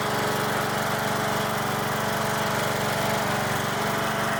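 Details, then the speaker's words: Troy-Bilt lawn mower after repair, started on jump pack with choke, carburetor flooded at first for unknown reason: small single-cylinder chugs at an even steady beat with no misses or stumbles; normal running. "Runs good. All right, I don't know why the carburetor flooded, but that is a small problem that I will deal with later."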